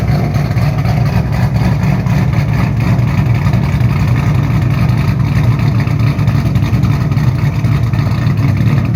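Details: 2007 Shelby GT500 supercharged V8 with newly installed L&M NSR camshafts, Venomous Tuning tune: deep loping uneven idle with crisp throttle blips pulling cleanly, no knocks. Normal idle and revs.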